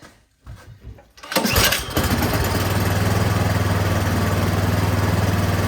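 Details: Troy-Bilt snowblower that would not start, only a few hours on it, with the prime line reconnected, primed and slightly choked: a few cranking pulls, then it catches and settles into a steady, even low putter; normal running.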